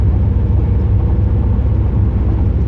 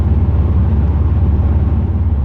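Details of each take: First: 2008 Pontiac Grand Prix GXP driving just after a Thrush welded muffler install: a deep, even, bassy exhaust rumble with steady pulses and no misfire or drone. Healthy exhaust note. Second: 2008 Grand Prix GXP V8 driving after a Thrush welded muffler install, foot on the accelerator: deep, even low drone as Active Fuel Management (DOD) switches cylinder deactivation on and off, fluctuating too often.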